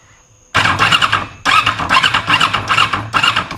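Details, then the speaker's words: 2001 Yamaha R6 that stopped running without warning, battery charged, kill switch on, fuel pump heard: starter spins in quick, even bursts with a whirring squeal but never fires; cranks, no start, no spark at the plug. "the battery is charged I've been charging it the kill switch is on turn it through nothing I can hold it"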